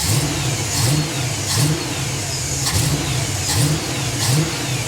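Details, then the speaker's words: 1977 Chevy Monte Carlo V8 after timing reset to about 7° initial and 32° total: revved in short blips, pitch climbing cleanly, sounding much better but with a slight stumble on each throttle opening; carburetor adjustment planned. "there's just a hair of stumble and I can probably cure that with a little uh carburetor adjustment there so definitely sounding way way better"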